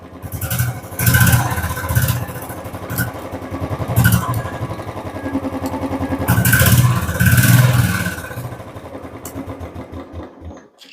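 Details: Royal Enfield Bullet with a fully charged battery, started after repairs and a new ammeter fitting. It settles into an even, deep thumping idle with a few clean throttle blips; healthy, no knocks.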